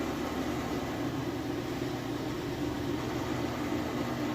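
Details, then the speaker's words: Whirlpool Cabrio high-efficiency washer at high-speed final spin with a very heavy load of jeans and towels; smooth steady whooshing hum, no shakes, rumble, grinding or thumping, no bearing noise. Normal spin. "But you can see here it is very smooth. There's no shakes or anything like that. There's absolutely no bearing noise whatsoever."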